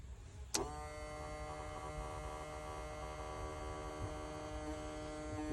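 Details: 2019 Ford Mustang GT, Fore Innovations fuel pump: a click, then a thin steady electric whine at one pitch over a low hum; this pump sounds rough and is failing, compared with a good one.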